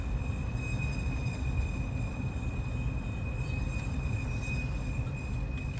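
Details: 2005 Nissan Murano while driving after a new axle was fitted: a thin, steady high-pitched squeal persists over heavy road rumble.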